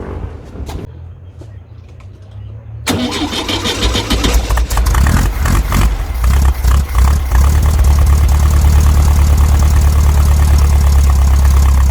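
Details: Brasília (VW Beetle-family) air-cooled engine after swapping the points distributor for a Hall-sensor electronic ignition distributor: cranking catches after a few seconds, then settles into a steady, even, low-pitched beat of about three per second; normal start, some wind noise.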